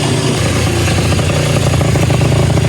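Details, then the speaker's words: 2005 Yamaha Zuma two-stroke with a big bore kit (China cylinder and piston, Polini head) and a repacked silencer, in cold, humid conditions. Busy, clean two-stroke crackle holding a steady fast idle with no knocks. Normal running. "Sounds good with the repacked silencer. I repacked it."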